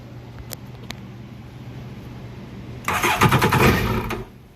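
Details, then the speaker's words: 2008 Yamaha VX1100 jet ski that won't stay running: starter spins the engine with fast, even chuffs for about a second but it never fires; suspected throttle position sensor relay or fuse connector problem. "The ski will not run."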